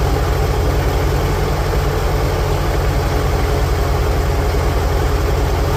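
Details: 1946 International Harvester Farmall H, in neutral after a pushrod replacement and deep cleaning, with a low battery and no charging harness: low, even thumping at about three and a half beats a second, no skips or knocks; normal, healthy idle.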